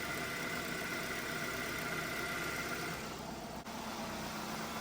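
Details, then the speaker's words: 2-door 90s Ford Escort, 117,500 miles, idling after the seized AC compressor was converted to an idler pulley with a new bearing and factory belt routing restored; smooth, even four-cylinder hum with no knocks, ticks or misses: normal idle. "And yeah, she's for sale. Make me an offer, baby. She runs good."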